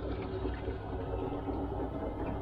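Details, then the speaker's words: Combi boiler in ignition lockout, reset and calling for heat: steady burner rush with a bubbling watery gurgle running through it, water in the boiler from a blocked condensate trap. "not sure if you can hear that but it sounds like they've got water in the boiler"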